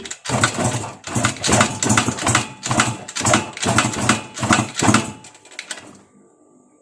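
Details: Yamaha VR two-stroke motorcycle with TZ engine, carb rejetted to 338 main jet: uneven cranking bursts with brief pops, never catching; fuel not reaching carb, owner suspects a leak or bad carburettor; hard starting.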